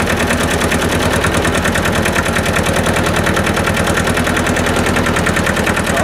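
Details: Hinomoto E230 diesel tractor, parked for years, running after the fuel was bled of an air bubble: even, steady chug at about 200 beats a minute with no misses or knocks, running cleanly.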